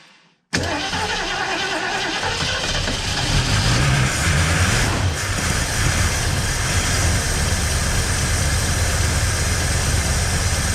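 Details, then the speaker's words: 1968 Mustang 289 V8 first start after sitting 30 years; starts first try and settles into a smooth, steady idle with even exhaust beat, no tapping, oil pressure good; normal idle. "sounds like a swiss watch i hope alex is watching"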